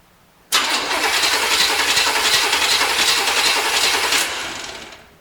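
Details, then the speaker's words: 1973 Corvette bought on eBay, starter jumped straight from a battery grounded only to the chassis, before ignition is connected: the starter spins briskly and evenly for about three and a half seconds with no dragging or clicking. Normal starter cranking. "But we should be able to basically jump start the starter. Let's see what it sounds like. Well, sounds pretty good."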